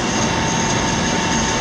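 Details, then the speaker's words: Xeikon 5000/6000 drum refinishing machine after belt and gear replacement: smooth constant whirring at moderate unchanging speed, no knocking or grinding; drum drive spins evenly and healthy. "Now, the minute that I turn this on, begin to spin, of course. See how fast it's going there."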